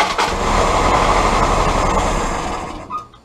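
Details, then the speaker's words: Willys L134 Go Devil four-cylinder Jeep engine after distributor condenser replacement, number one plug refitted: starter cranks about three turns a second, catches a few rough firing beats then dies; owner unsure if flooding. "I'll take it I'll take it did you hear it it started up now I don't know if it's flooding or whatever but it it fired up yeah fired up"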